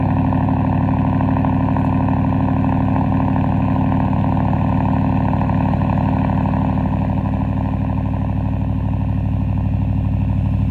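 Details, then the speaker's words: 2023 Ford F-150, mostly stock, 4-inch MBRP straight-pipe cat-back exhaust, cold start: loud, deep, steady exhaust drone with even pulses around three a second, no knocks or misses; normal cold start idle, louder than usual. "I'm be honest I think that's probably one of the most wicked CS has ever done oh my God that was loud usually it's a little more tamame than ramps up"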